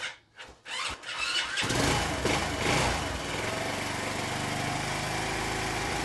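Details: Honda C90 with a new aftermarket 19mm PB-style carburettor, throttle cable shortened for free play: a few cranking thuds, then it catches and settles into a steady, even single-cylinder idle with no hunting. Running normally.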